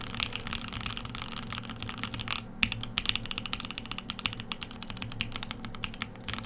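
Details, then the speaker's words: E6 V2 keyboard build with lubed Telio linear switches: quick, even clacks with soft low bottom-outs, no scratchiness or spring ping; smooth, healthy linear switches. "good, feels good because they're Telios. I mean, if your thing is lubed linears, I mean, almost doesn't get better than lubed Telios."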